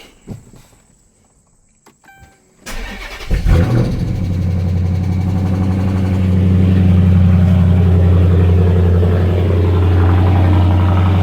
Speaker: Fire it up. It's got a good sound to it.